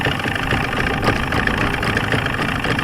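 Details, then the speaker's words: 1995 Force 40 hp outboard mounted on a boat, after rebuild work for water in the cylinders: idles a little fast with an uneven, lumpy, loping beat; owner suspects air trapped in a pump or timing, cause unconfirmed. "she's running but she's got that lump to her if you can hear"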